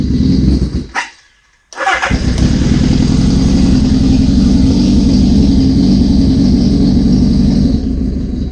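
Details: 1981 Suzuki GS650GL during rebuild with new battery, plugs, oil, filter and pod filters: starts after brief crank, settles into steady, even multi-cylinder idle on choke, no knocks or misfires; normal running, small carb fuel leak suspected.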